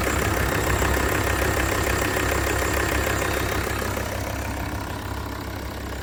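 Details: Volvo V70 D3 (P3 chassis) diesel at idle with an even tick about three times a second; owner suspects bad bearing in the tensioner pulley, mechanic recommended a new drive belt kit.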